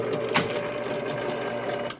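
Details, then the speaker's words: 1971 Williams Klondike pinball machine, barn-stored, restored: on start, steady mechanical chatter of score motor stepping through reset to zero, then sharp clack as outhole kicks ball; operating normally. "we're counting up to three we're sitting at zero now our out hole should kick a ball"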